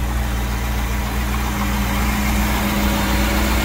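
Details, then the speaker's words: Stingray cuddy cabin boat engine, first start after Hurricane Ian flooding, run to flush brackish water: even, steady idle with smooth low rumble, no misses, knocks or surging; sounds healthy. "boy that sounds good that's a good sound I love hearing that I love hearing that"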